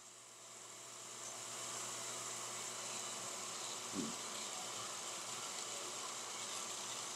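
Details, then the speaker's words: Peripheral water pump on a test bench with valve closed, under 0.5 bar suction, water gasifying into visible cavitation bubbles; hissy rushing pump noise rises then holds steady as the pump begins to cavitate. "something that is quite evident is the sound that the pump begins to make and this sound that the pump has that is similar to the sound as i"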